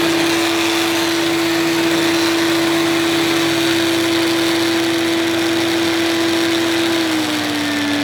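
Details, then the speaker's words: Electrolux 380 Turbomatic vacuum cleaner on first run: steady high-pitched whine over the motor's rush, holding pitch then sagging slightly; abnormal running noise, cause not found. "it shouldn't it shouldn't make that sort of noise I would have thought"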